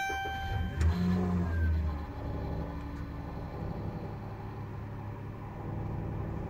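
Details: 2014 Dodge Caravan SE petrol engine cold start in winter, 13°F. A faint thin whistle rides over the cold idle and persisted after the dealership replaced the belt; it is absent in warmer seasons.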